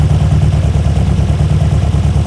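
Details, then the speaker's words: 1972 BMW 2002, twin carburetors, automatic, start-and-run problem another shop failed to fix: heavy, uneven, stumbling idle, running very violently. Mechanic doesn't think fuel settings or idle mixture screws are the cause; cause not confirmed. "this thing's running very violently"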